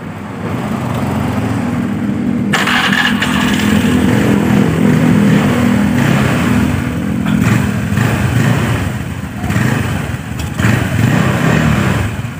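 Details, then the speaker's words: Honda Vario automatic scooter after drive/clutch area reassembly: starts and runs with an even engine note, no more tak-tak rattle at low rpm idle or when the throttle is opened; normal running. "Baiklah jadi untuk di bagian sini bisa teman-teman dengar disini sudah tidak ada suara tak tak tak tak tak saat RPM bawah saat sedang stansioner ya"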